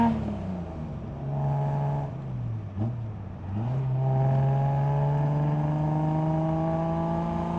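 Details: 1973 Datsun 240Z, back on the road after 2+ years, low on gas; smooth six-cylinder tone climbing steadily through the gears with a clean shift dip, no knocks or misses; engine pulls healthy.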